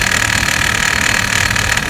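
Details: 2006 Hummer H3 at idle after replacing the serpentine belt: a dry, busy metallic rattle over a steady idle, likely something loose in the belt drive, cause unknown.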